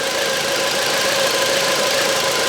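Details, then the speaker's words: 2009 Volvo V70 with misfires and codes P0303, P2008, P0325, P0138; listening to a fuel injector while running: crisp, even, rapid ticking with no misses, so the injector works normally; oil-fouled spark plugs on cylinder 3 suspected. "Så ja, den där knackar ju jättefint också på sprida igång det. Knack knack knack knack knack knack."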